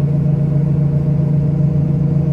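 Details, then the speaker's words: Ford Del Rey driven on the road and a dirt road on a delivery: a steady low droning hum under the road noise from the right wheel bearing, which had already given trouble; a replacement bearing has been bought. "nós tivemos nós Já compramos o outro rolamento né porque como eu tinha falado isso deu problema é nessa roda direita aqui"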